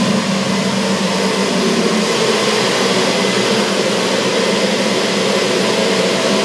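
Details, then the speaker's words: Old boiler-room cascade burner running after a Siemens RLU222 controller replaced a Polygyr RWF21.20, set to stop at 72 °C flow: steady even roar, no pulsing or rumble, flame holding smoothly after start-up; burner running normally. "Donc là le voleur on l'entend, il est en train de se mettre en marche. Et donc là il va s'arrêter à 72 degrés de tête."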